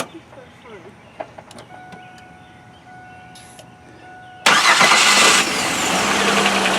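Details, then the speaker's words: 2000 Oldsmobile Silhouette minivan, GM 3.4L V6, just after installing a new starter motor: quiet, then a brief crisp crank, engine fires at once and settles into an even idle; normal starter cranking and start. "hey can you turn it off and try it again just for fun to hear the sound of that brand-new starter go ahead"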